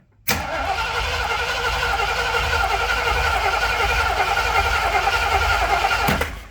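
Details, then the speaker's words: Old starter cranking after a bad connection was fixed, measured with an amp clamp at about 200 amps: strong, even cranking for about six seconds at steady speed, no clicking or dragging; normal starter cranking. "so around 200 amps cranking and so if I set this to record to Max I can see what the what it jumps to initially"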